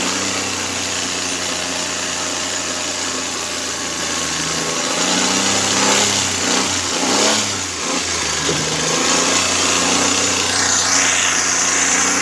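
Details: Suzuki Cultus carbureted engine after CDI and ignition coil replacement (Japanese coil) for intermittent misfire: steady, even idle with one brief rev, settling back smoothly with no stumbles or misfires.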